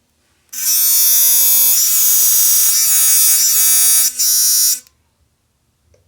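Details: Sonicare DiamondClean that vibrated poorly or not at all, after opening it and pushing the internal plastic piece down to restore contact: a strong, even high buzz holds about four seconds, then stops cleanly. It now works.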